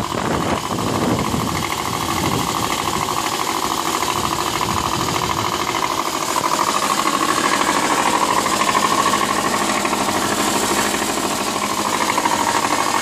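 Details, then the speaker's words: 2003 Subaru Baja 2.5 EJ25, 123k, 5-speed, cold start: sharp metallic knock about three per second over engine clatter, loudest right side toward front; mostly fades after 3–4 minutes warm-up, metal shavings in oil; rod knock, not just piston slap. "Definitely the right side. It seems like to the front of the engine more than the back of the engine. Man, I just want to shut it off. It just sounds so bad."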